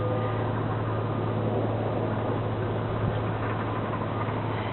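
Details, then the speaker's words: 2005 Buick LeSabre Custom, 49K miles, automatic, rebuilt title after body-only repairs, engine always ran; idles nice and quiet, a low smooth steady hum with no knocks or ticks. Normal idle. "The engine is running, so you can hear that it's nice and quiet."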